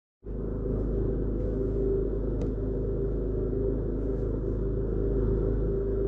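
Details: Kenwood KFF2DS14 fridge freezer, freezer compartment fan motor (KB-48ZWT05-1204): steady low buzz with a rough grinding rattle and excessive vibration; worn fan motor bearing.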